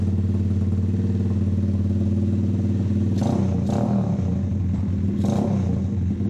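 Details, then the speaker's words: Custom drift trike with a 125 engine and a newly finished exhaust and muffler; deep, throaty exhaust note at a steady fast idle with a couple of light blips, no knocks or rattles, running healthy. "and it sounds nothing like a 125."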